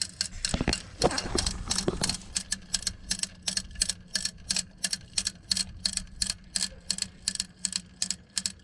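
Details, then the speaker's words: Old fan clutch hub from a 2007 Freightliner Columbia Detroit Series 60, belts off, hub in free position and spun by hand: a rough, gritty ticking about three times a second with no smooth coast. The hub bearing is completely shot. "you hear that inside of there that thing is ready to explode the bearing is completely shot inside there that's what you're hearing low ball bearings"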